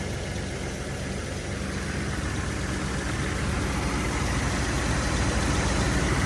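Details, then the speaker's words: 1981 Chevy C10 after a spark plug change (one old plug was wet). A steady, even idle with a smooth low rumble holding its speed and no stumbles or misses; it idles a lot cleaner than before. Normal idle. "I like the sound of it. It's definitely idling a lot cleaner than before."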